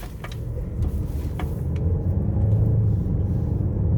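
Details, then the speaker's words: 2018 Ford Escape 1.5-liter with a reported transmission leak and earlier pump whine on takeoff, driving in traffic: low, steady road and engine rumble with no transmission pump whine for now. "Okay, I don't hear pump whine yet, but I'm going to get on the interstate at full throttle and put some stress on the front pump and the transmission."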